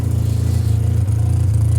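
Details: 1985 Mazda RX-7 GSL rotary after a new exhaust install: deep, fast, even idle pulse with a slight puffing chatter from a small exhaust leak at the connecting pipe; the old leaking muffler is still to be replaced.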